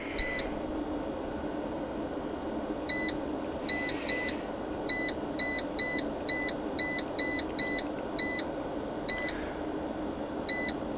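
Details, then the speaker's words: Inverter keypad beeps while setting utility charging at 10 amps for a new EVE 280Ah battery with JK BMSs. Short, sharp high-pitched beeps, one per key press, over a quiet room. Normal keypad feedback. "I've left the beeping on because you can actually hear it outside."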